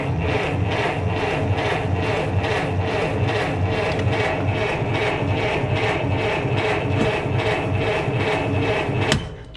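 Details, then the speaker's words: Model T cranked with the choke pulled to prime it but with the ignition key off: a steady starter chug of about 2.5 beats a second for nine seconds with no firing; the engine is now probably flooded. "okay uh well we've primed it i'm sure about that we did not turn on the key first so very important like i said the starter works whether the key is on or not so now it's probably flooded"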